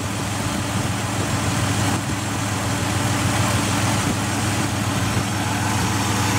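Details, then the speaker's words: Ford Escape XLT 3.0L idling in park after fitting a remanufactured MAF, refitting the Bosch O2 sensor and disconnecting the battery: steady low idle with a faint light tick about three per second; rough idle, cause not found. "I disconnected the battery and everything, so. Let you hear the ticking if it's still doing it."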